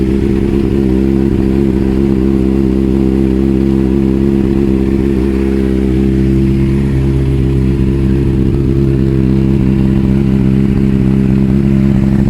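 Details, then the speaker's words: Triumph TT600 salvage motorcycle, first start-up: flat, lumpy idle with deep uneven beat, never picks up revs, as if running on two cylinders. "so actually drawing that test the entered limp mode as if it was only running on two cylinders it was fine because you can trickle at home but there's no revs"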